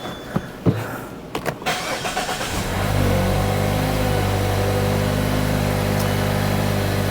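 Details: 2017 Mazda 3 SkyActive four-cylinder just after alternator replacement and belt refit: starter whirrs briefly, catches about three seconds in, settles into smooth even idle with steady low hum; no battery light, normal.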